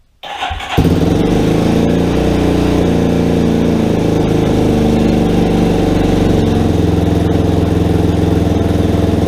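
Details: Rebuilt Yamaha Warrior ATV single-cylinder, cleaned carburetor, idle screw two turns in, first start: catches after a brief crank, settles into a smooth, slightly uneven idle with no ticking; idle needs adjustment; normal idle.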